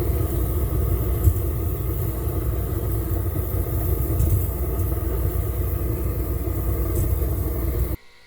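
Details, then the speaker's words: Central Boiler CL 4030 outdoor wood boiler on waste oil, burner oil transfer pump after replacing its hardened shaft seal that sucked air: even, low steady hum with no gurgling, then a clean cutoff; the earlier aeration is gone. "Well, you can't hear it right now because it's working perfect, but it sounded like there was aeration, like there was bubbles going through the pump."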